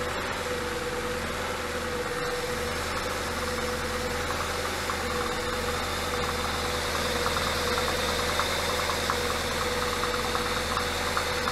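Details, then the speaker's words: Porsche Cayenne 957S V8 with a scored cylinder, idling 3,200 km after a Ceratec treatment: slightly quieter overall, but a steady light clack about three times a second, piston slap, seems more audible than before. "Donc voilà, le moteur fait un tout petit peu moins de bruit. Par contre, je trouve qu'on entend plus le claquement qu'avant."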